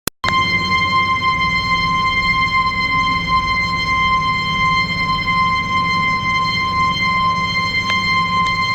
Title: Abnormal Sound of Ball Float Valve-20101022